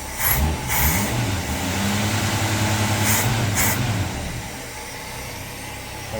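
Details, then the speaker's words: 1966 car, carbureted, after fixing stuck-open float needle that overflowed bowl and caused sputtering and dying: settles into an even, steady idle after a brief rev, no stumble, hunting or smoke; healthy idle. "turn into idle fine no smoke"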